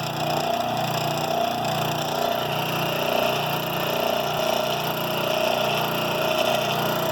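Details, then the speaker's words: Rikon slow-speed bench grinder running with a steady hum and slow rolling throb about once a second, a little wobble, most vibration from the left wheel; nuts keep loosening; out-of-balance grinding wheel, later cured by balancing and truing. "well snut doesn't seem to be loose sure it's vibrating a lot that doesn't seem to be able it's like I'm getting most vibration out of it left wheel"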